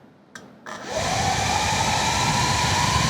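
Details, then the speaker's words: Atlas 40V brushless lithium leaf blower with its variable throttle control disconnected: starts at very low RPM, then the motor whine climbs steadily in pitch on its own. Uncommanded speed creep. "because when you disconnect the the variable throttle right here it starts out extremely low RPM generally and it speeds up on its own you can hear"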